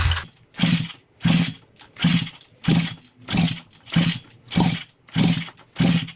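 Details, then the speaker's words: Neglected Thumpstar pit bike, choke on, after swapping carburetor and intake: regular kicks about every 0.6 seconds, each a soft chuff that never catches; compression feels weak, owner leans toward a top end. "i'm not lost with this bike it makes no sense compression does feel kind of weak i'm kind of leaning towards maybe this bike needs a top end"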